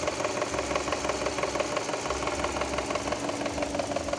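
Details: Subaru Impreza engine with a sharp, regular tapping about three times a second on top of a steady idle; a clear knock from inside the engine.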